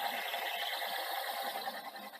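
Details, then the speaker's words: Sanyo VTC-M10 Betacord Betamax recorder winding a hard-to-wind tape: a thin whir with uneven pulsing as worn idlers struggle. The belts are also not good, and the deck is unserviced. "yeah you can hear the idlers struggling but like i say this tape is is quite hard work for a machine at the best of times"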